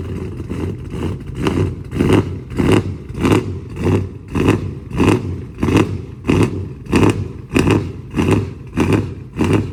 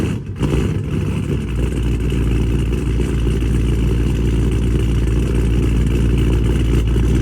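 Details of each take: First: Dodge Charger Scat Pack 392 V8 with cam, new 1050X fuel injectors and Boost-A-Pump, previously running lean: cold start with the idle swelling and dropping about 1.5 times a second in an even lope before regulating; normal cold-start surge. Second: Dodge Charger Scat Pack widebody 392 V8 on E85 tune, after boost-a-pump and 1050X injectors installed (previously running lean), cold start: catches and climbs into a loud, lumpy idle about three and a half pulses a second; expected cold-start surge before idle regulates.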